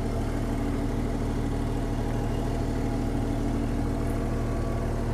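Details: Small excavator diesel engine, restarted after sitting neglected, at steady even low idle with no knocks or misses. The engine sounds good, but the throttle and hydraulics don't work, possibly due to a safety switch.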